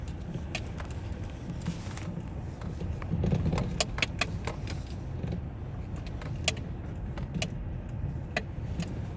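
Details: 2005 Citroën C5: sharp, irregular knocks and clunks over a low rumble from the car; loose knocking attributed to a worn steering rack.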